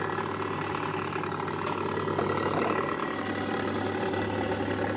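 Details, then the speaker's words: Electric motor (dinamo) with a coarse, gravelly growl (ngorok) through its steady hum; dry bearing, fixed by putting a little oil on the bearing/neck. "Nah ini adalah cara mengatasi ketika bunyi ngorok dikasih minyak bagian sininya"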